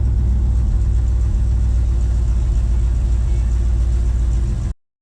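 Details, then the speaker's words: Truck with FiTech EFI on an International 1210, after cleaning a plugged fuel filter between the pump and FiTech unit that caused stumbling, stalling and codes 105, 74, 36: steady even engine drone, no misses, clean shutoff; fuel pump nearly silent; normal running. "so I got it all cleaned up put it back together started right up ran fine haven't had any problems since fuel pump was almost silent"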